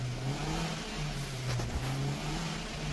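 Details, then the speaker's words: Maruti Suzuki Swift petrol, check engine light on, stalls when throttle released: revs climb slowly and sag, delayed response and RPM drop under throttle; dirty throttle body suspected. "आपण जर accelerator दिलं तरी गाडी performance घेत नाही म्हणजे एक्सलिटर delay घेते गाडी"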